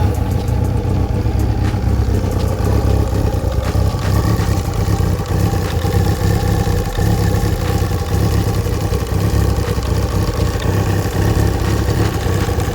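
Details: Kawasaki ZXR 750 with knocking engine: steady four-cylinder engine running with a dull knock under the exhaust note; crankshaft bearing knock, mechanic suspects a damaged bearing that was very tight.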